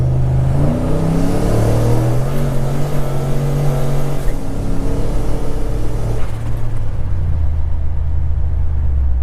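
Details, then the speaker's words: Turbocharged 2012 Chevrolet Caprice with E38 ECU on an HP Tuners tune, VE tables just adjusted: at full throttle the note bucks in repeated surges and dips before the upshift, then pulls clean; hesitation under load, cause unknown. "It's like boom, boom, boom, boom, boom, and then it goes. Then Like once it shifted, it was fine. But it like hesitates coming in and out."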